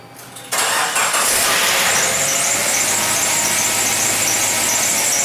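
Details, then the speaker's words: 1996 Suzuki Sidekick Sport after manual transmission replacement with reman unit and Exedy clutch (old gearbox noisy in all gears but fourth): fires at once, even idle, no knocking, clunking or grinding; running normally. "That's it. She sounds good."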